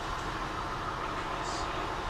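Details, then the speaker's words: A 2000 Acura TL with codes P0300/P0306 and a bad misfire, now fixed by fully seating an ignition coil, idles steadily and evenly with no stumble or shake, running way smoother. "Alright, this thing's running way smoother. It's not shaking like it was."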